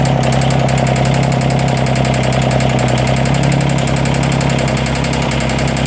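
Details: 332 diesel at rough idle: sharp, fast, uneven clicking over the knock with an intermittent misfire. The owner suspects a head gasket leak among other issues, but the cause is unconfirmed.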